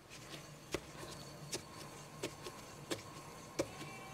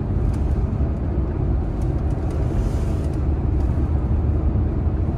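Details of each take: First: Tata Nexon front wheel spun by hand on a lifted car gives a faint rough whir with a sharp click about every 0.7 s and no play; worn front wheel bearing, noise rising with speed and in turns while driving. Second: Tata Nexon after front wheel bearing replacement, roughly 500–700 km later: steady road rumble during zigzag sharp turns at speed in neutral, no speed- or turn-dependent hum as before; normal wheel bearing.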